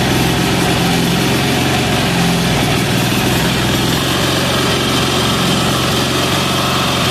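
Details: Amazon 186FA single-cylinder diesel on filtered used synthetic motor oil fuel, started on diesel; fast, steady idle chatter with even beat, no stumbling, smokes until warm. Normal idle.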